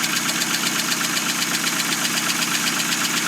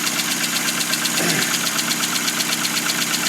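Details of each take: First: 2000 Hyundai Accent at cold idle just after clutch and transmission install, not run in a long time: fast even light ticking about four per second over steady idle, sewing-machine sound; cold tick, cause unconfirmed, needs warming up. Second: 2000 Hyundai Accent small four-cylinder idling cold just after clutch, flywheel and transmission install, not run in a long time: light even sewing-machine clatter with steady rhythm; needs warming up, normal idle.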